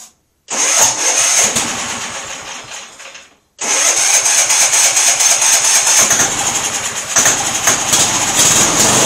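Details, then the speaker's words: Auction-bought MTD lawn tractor small engine, first start after cleaning parts: catches and runs fast, fades and dies, then picks up again, kept running only by carb cleaner sprayed into the carburetor; fuel filter appears empty, fuel starvation. "i was squirting starter fluid in the carburetor which was keeping it running actually i guess it was carb cleaner but either way that's what was keeping it running for some reason the fuel filter doesn't seem to have any fuel in it"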